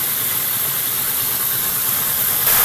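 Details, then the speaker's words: Pico-hydropower generator powering sediment-transport instruments at Porter Creek, running after the valve is opened, output 0.72–0.8 amps; steady, even rush of water and spinning turbine with no knocks, surges or grinding; normal running. "our generator, and it's purring along. I'm measuring the current, so it's putting out between 0.72 and 0.8 amps."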